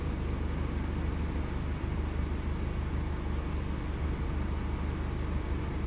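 Low, rough engine run with an uneven, stumbling pulse about three times a second, consistent with a misfire.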